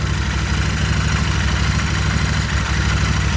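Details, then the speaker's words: 2020 Royal Enfield Continental GT 650 twin after its 300-mile first service valve adjustment, first start in two weeks, idling slightly high while warming up: deep, even beat, no knocks or ticks, running well. Normal idle. "gotta warm up a little bit yeah i haven't rode in like two weeks because i was waiting to do the 300 mile service running well"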